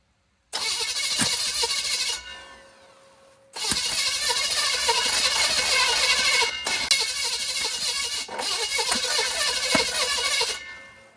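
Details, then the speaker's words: 1940 Chevy with budget small-block V8 engine test; three long cranking bursts, about 3.5 turns per second, never firing; odd sound from one exhaust bank; about 60 lb oil pressure and strong spark confirmed, timing chain unchecked; cranks but won't start. "Turn it over, see what happens. See if we get any oil pressure on turnover. I don't like that sound coming out of that exhaust. It's got a weird sound coming out of this bank."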